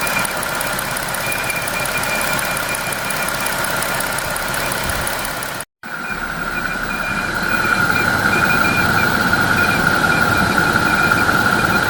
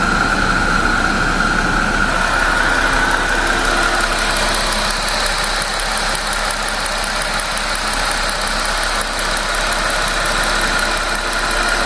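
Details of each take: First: 2025 Jeep Wrangler Pentastar petrol engine idling with a steady high whistle/squeal, first mistaken for escaping air or a bad pulley; air-movement noise from a faulty old-style PCV valve, apparently fixed by fitting the new-style valve. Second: 2025 Jeep Wrangler Pentastar V6 after installing new-style PCV valve: steady, even idle with smooth rhythm and no squeal or chirp; the air-movement squealing noise is gone, engine sounds healthy.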